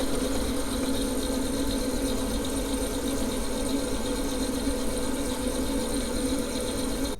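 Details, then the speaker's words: Vaillant Turbomax boiler that had a good spark but no gas, lit after tapping the gas valve, which was then to be replaced: steady, even burner roar with low hum for seven seconds before cutting off; boiler burner firing normally. "Giving it a tap, fires up. Nothing wrong with that."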